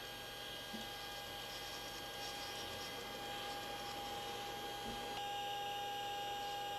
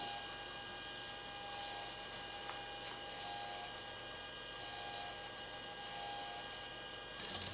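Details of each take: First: Repaired Apollo Lunar Module FDAI attitude indicator, ball driven by repaired servo amplifier: quiet steady servo whine with a rough, gritty edge as the ball turns; sounds grindy, cause not stated. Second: Apollo Lunar Module FDAI attitude indicator after repair, driven by the repaired servo amplifier through big rotations: faint motor whirring in short bursts over steady hum as the ball swings; servo works, very twitchy.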